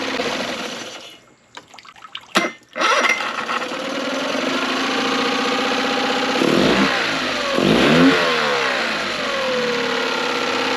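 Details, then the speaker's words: Tohatsu 9.8 four-stroke outboard after a rebuild, warm after idling a while without stalling: engine cut, then restarts straight away into a smooth, even idle; pumping water properly and shifting in and out of gear normally. "The engine restarts up really nicely. It's pumping perfectly as how it's supposed to, and it goes in and out of gear as it's supposed to."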